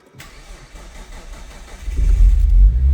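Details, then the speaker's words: 1998 Nissan Skyline R34 25GT, stock RB25DE NEO converted to turbo with manual Nistune ECU and new exhaust, first start: catches quickly and settles to steady 1,200 rpm idle, no misfire, knock or rattle; healthy start. "And it's idling. It's idling at 1,200."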